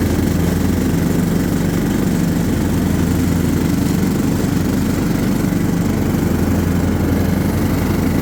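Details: John Deere LT150 mower with replacement 15 HP Kohler engine, freshly swapped and mowing grass: steady, full-throated single-cylinder drone at even speed, no misfires or knocking; pulls cleanly.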